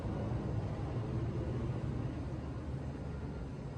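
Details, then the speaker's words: Casablanca XTR Panama ceiling fan on medium speed: steady low rumbling motor hum, louder than expected; XTR motors reportedly known to be noisy, cause unconfirmed. "uh and as you can hear it's quite noisy because from what i've heard is is a uh very common thing with xdr uh casablancas like the the the xtr motors are known to be uh noisy"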